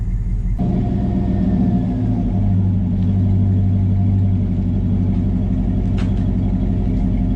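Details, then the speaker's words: 2004 Chevy Tahoe flex-fuel after fuel pump repair, engine warming up: mild deep rumble swelling smoothly with revs, no rattles or leaks, from a Thrush single-to-dual exhaust with slash-cut tips; healthy exhaust tone. "overall it's a pretty cool setup that uh just gives a little tone not too much that keeps the kids awake"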